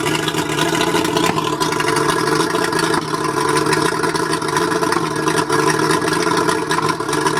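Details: Mercury 135 outboard idling rough with an uneven, stumbling beat and occasional skipped pulses, a misfire; owner suspects the spark plugs, not confirmed.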